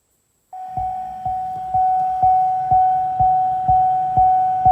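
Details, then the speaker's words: C6 Corvette after aftermarket radio install, door open: steady high tone with sharp ping about twice a second plus static from speakers, stopping with radio when door closes; blue amp turn-on wires left unconnected. "But when I close the door, pinging stops, and so does the radio. Open the door. Pinging and the static."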